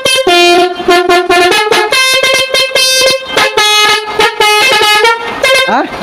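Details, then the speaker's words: Multi-trumpet basuri truck horn taken from a used vehicle and test-fitted. It plays a choppy, limping tune of short blasts because one trumpet unit is broken and silent, giving an uneven melody. "jadi ini suaranya pincang ya karena ini ada rusak satu ini"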